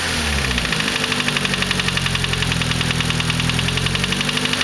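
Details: Nissan SR20DET at cold idle, fast sharp metallic ticking knock about a dozen taps a second; knocks only when cold, gone above about 3500 rpm; lifters and timing chain tensioner already replaced, still knocks, cause unknown.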